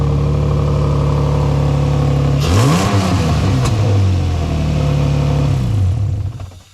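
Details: 2003 Nissan 350Z after new starter install fixing grinding on start: engine running evenly, quick rev climbs and falls back to steady idle, no grinding; normal start and idle.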